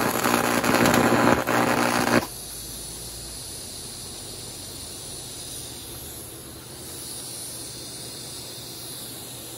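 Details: Econo TIG welder (vintage) after control board repair and updated high voltage impulse transformer, test weld: steady crackling buzz with mains hum for about two seconds, then cuts off; strikes and holds a stable arc normally.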